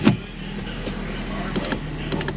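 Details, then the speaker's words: Ford Fiesta with 140,185 miles, window going up: the motor hums while scattered clicks and pops replace smooth glass travel. The power window regulator is failing. "The regulator's no bueno. That's terrible news."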